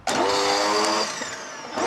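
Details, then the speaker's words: Dyson vacuum cleaner, full of water after an ice bucket challenge, motor already dying and seizing: motor whine sags in pitch and falls off, then winds back up. Major belt slipping, motor bogging under load. "Doesn't look too happy, does it? That was major belt slipping."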